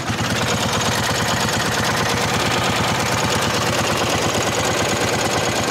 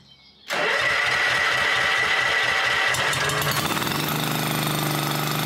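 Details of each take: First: Honda 1211 ride-on mower idling and revved: fast even flap-flap ticks like plastic rubbing on every turn; transmission cooling fan rubbing, a recurring fault despite an earlier repair. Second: Honda 1211 ride-on lawn mower after its transmission fan was repaired and its tires refitted with inner tubes: clean start settling into a steady, even run with no rubbing noise from the broken part; normal running after repair.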